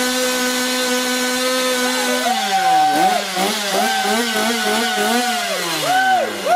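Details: Stihl chainsaw (MS250-type) after oiler replacement and reassembly; holds steady fast idle, revs up and drops back several times with clean pickup and smooth return: normal running.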